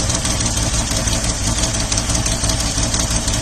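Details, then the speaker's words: 1979 Opel Monza inline-six barn find idling lumpy and uneven with one cylinder missing; misfire from a failed fuel injector, number 6 and possibly 5 suspected, confirmed by pulling injector connectors and noid light testing. "Obviously it's still misfiring a 1 cylinder."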